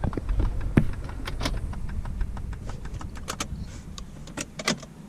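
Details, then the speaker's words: 2005 Saab 9-3 after pulling the key during spare-key programming that reported failure: a burst of light, uneven mechanical clicks from the column as the steering lock cycles normally. "it's our steering lock so even though it said it failed"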